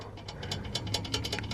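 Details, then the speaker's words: Exhaust shaken by hand: sharp metallic clicks and clatter because the weld on an exhaust bracket has broken, not a loose heat shield; the bracket needs re-welding. "the noise the world on that Azores bracket has broken so I need someone who can world the world it will back up again but that is the noise"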